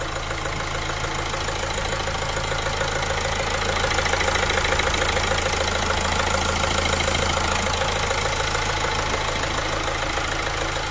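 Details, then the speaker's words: Opel Insignia 1.6 136 diesel, 154,000 km, after timing chain replacement and diesel engine cleaning: even, steady diesel clatter at idle, no top-end rattle or uneven firing; normal idle. "Evet arkadaşlar aracımızı bitirdik Aracımızın otoban testine çıkacağız aracımızı sesi on numara bu şekilde yaptık"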